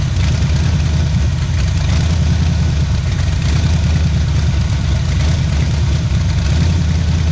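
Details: 1977 Pontiac Firebird V8 ex-drag car, abandoned about 36 years, first run after revival on a cold start, left idling to open the thermostat: deep, choppy, uneven loping idle over a steady low rumble, typical of an aggressive cam; it runs healthy.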